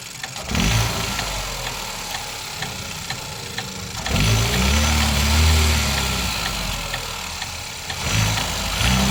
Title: Vauxhall Astra automatic, 1.4 Sri rhythmic clicking and ticking noise